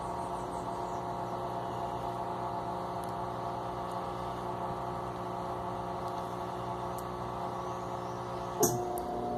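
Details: Electrolux LTE12 washing machine, previously very loud when stopping, after repair. Only a quiet, even motor hum through drain and spin with no tearing or ratcheting. Normal drain and spin.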